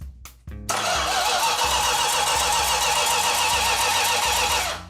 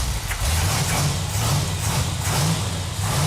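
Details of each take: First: 69½ A12 Super Bee engine on the run stand before installation, first start attempt: starter churns steadily about four seconds, engine never catches; some fuel lines later found not fully tightened. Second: 440 Six Pack (three two-barrel) V8 for the 69½ A12 Super Bee on an engine run stand, first start after tightening fuel lines for its warm-up: deep, lumpy rumble with throttle blips, firing even and steady; runs good.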